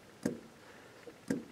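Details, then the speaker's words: New SU electric fuel pump just installed under the tank of a 1965-1980 MGB Mark IV roadster; sharp single ticks about once a second as it tops up to regulated pressure, no leaks: normal pump operation. "you can hear it it's still adding a little bit uh still pumping getting that pressure up to the regulated pressure"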